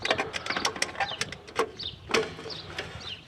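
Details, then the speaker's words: Rear drum brake self-adjuster star wheel turned clockwise with a screwdriver to tighten shoes against the drum, fixing a sinking half-pedal: irregular sharp metallic ticks and spring chirps; the adjuster spring is clicking normally. "I think you can hear that spring making that noise as I turn that"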